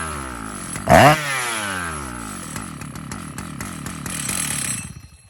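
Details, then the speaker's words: 2004 Stihl MS 880 chainsaw, 121.6 cc two-stroke, idle 2700 rpm, clutch engaging at 3400 rpm: throttle blips, then idle with a loose metallic clatter. Worn clutch no longer working properly and needing replacement. "Le bruit du métal que vous entendez, l'embrayage, Malheureusement, l'embrayage ne fonctionne plus."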